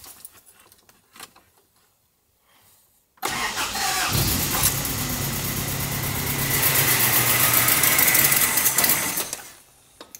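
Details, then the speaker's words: Isuzu engine starts after a short crank, taps rapidly about three times a second, then stalls by itself within seconds; diagnoses ranged from arcing ignition leads to broken rod, owner suspects loose valve lash locknut. "Myślę że będzie słychać że klepie aktualnie auto odpala ale po chwili samo gaśnie"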